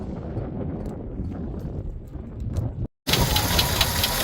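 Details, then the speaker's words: 1985 Jeep CJ-7 after a cooling system refresh, overheated after 15 minutes with coolant blasting from an unsealed cap: light, quick ticking or knocking over a rough hot idle; source uncertain, water pump suspected. "It sounds like it's knocking or ticking. All right, I'm gonna let it cool down."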